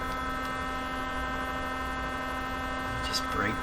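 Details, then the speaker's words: 1957 Chevy Wonderbar car radio with tubes lit: steady low electrical hum with faint buzz from the speaker, sounding exactly like a vibrator supply; cause not yet found. "but the real curiosity is what's going on with this radio why is it making this noise it sounds exactly like a vibrator"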